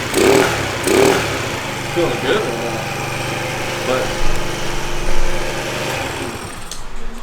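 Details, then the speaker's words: 50cc Chinese scooter two-stroke: runs unevenly, surging and sagging every second or so instead of holding steady, skipping; the carburetor isn't getting good fuel delivery, and the fuel lines still need replacing. "i had a problem with the charge uh with the quad carburetor and it's not getting good fuel delivery"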